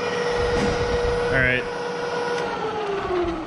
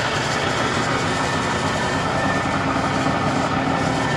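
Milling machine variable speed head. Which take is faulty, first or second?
second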